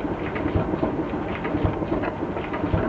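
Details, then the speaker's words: Miele Novotronic T294C condensing tumble dryer, after replacing humidity sensor brushes, running much quieter: dull low thump about once a second over the steady drum tumble; owner suspects a drum support roller. "A little bump in. Can hear a slight bump in eyes. I believe this could be the roller, a support roller."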